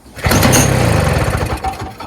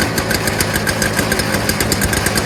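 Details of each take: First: Early-2000s Toro Snow Commander 7 hp R-Tek 24-inch single-stage two-stroke snowblower with an aftermarket carburetor: spark confirmed, tilted forward to get fuel to the intake. It catches briefly on the pull, sputters for a second or two and fades out; it won't stay running, fuel starvation. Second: Early-2000s Toro Snow Commander 7HP R-Tek 24-inch single-stage two-stroke snowblower after a fuel system fix; quick, even firing with no misses or surging, smoke cleared after running a while, running cleanly.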